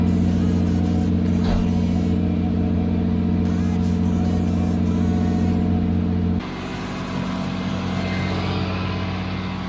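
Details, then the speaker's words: Nissan Stagea C34 RB25DET after a Walbro 460 fuel pump install: steady deep idle with an even low rumble, settling slightly quieter after a few seconds; normal idle. "it is, boys, running on the Walbro 460."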